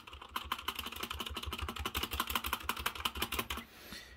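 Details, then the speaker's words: 65% mechanical keyboard with unlubricated red switches: rapid clacky keystrokes about three a second, with thin metallic pings from rattly stabilizers on the large keys (Shift, Space, Enter). "toutes ces touches là vous avez des stabilisateurs et je pense que le défaut sur ce clavier c'est justement les stabilisateurs donc écoutez"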